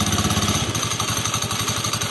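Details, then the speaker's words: Honda Beat CVT at idle: fast, even metallic klitik-klitik clatter from the plates that hold the clutch shoes, worn loose by the shoe retaining clips. A minor, non-fatal fault fixed by repairing the plates. "ini biasanya yang menyebabkan bunyi kelingking ini dari pelat pelat buat menahan si kampas koplingnya kampas gandanya itu biasanya mulai aus ya"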